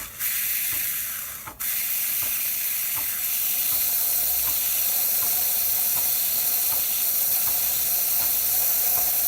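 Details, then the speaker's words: Quick Mill 820 Vintage espresso machine running after a full tune-up, steam wand swung out to open the valve: strong steady steam hiss with a light, even pump click about twice a second. Normal steam wand and pump operation. "so you can hear the pump clicking nester overheating the thermic wok and forcing water through it"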